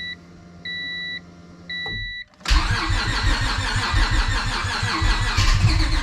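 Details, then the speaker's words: Civic with nitrous stroker V6 swap, new ECU with base map tune just loaded, battery slowly dying: beeps then uneven cranking with stumbling catches, never idles, throttle tried. Owner suspects the base map. "I'm pretty sure I uploaded the tune to the ECU and now it kind of wants to start but it still won't start all the way definitely wants to start but it's not quite there yet"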